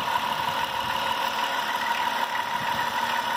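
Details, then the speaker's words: Faint, uneven popping ticks, about three a second, over a steady idle with a thin high whistle; this "popcorn" sound has always been present, while the belt noise quieted after about 15 minutes running; cause unclear. "We still got the popcorn sound coming from in here. I mean, I always had that."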